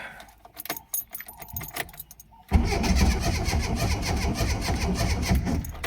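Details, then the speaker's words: Ford Escort Mk3 GLE cranking after cleaning and redoing a terminal and rerouting the alternator wire: starter spins the engine with an even, strong churn and no dragging or clicking: normal cranking. ">> Well, that sounds better."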